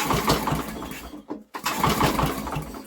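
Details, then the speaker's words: Old Briggs & Stratton generator with new carburetor, timing believed fine, given brake clean: pull-start bursts where it catches a few rough pops then dies each time; fires but won't run, cause not found. "it wants to go you can hear it it fires wants to"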